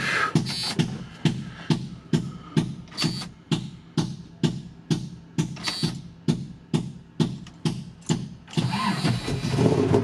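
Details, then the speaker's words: 1985 Chevy K10 with four-inch lift, after dying on the trail and resting 30–45 minutes: steady cranking about two turns a second for eight seconds with no firing, then a rougher roar; crank no start, owner suspects it's not getting gas, fuel pump pressure. "Come on, baby. Kind of felt the same as before. It just is not getting gas."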